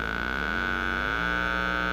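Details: Zenith 4-B-231 radio speaker fed 400 Hz from an audio generator through the repaired output transformer primary, field coil powered by 9 V: a clean, steady tone with no buzz or rattle; it works properly.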